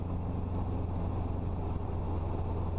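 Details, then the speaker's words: Robinson R22 Beta II helicopter in flight, cockpit GoPro, instructor deliberately rolling throttle down aggressively: steady deep engine and rotor drone under wind, pitch sagging below cruise; rotor RPM below the green, no low-RPM horn yet. "below the green, no horn, but it sounds different, doesn't it?"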